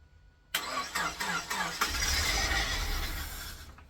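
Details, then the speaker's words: Engine being restarted after reassembly of manifold and injectors: a few slow, dragging cranking strokes, then it spins without catching; cranks but won't start, flat battery suspected. "Okay, that sounds like a flat battery. It does sound like a flat battery."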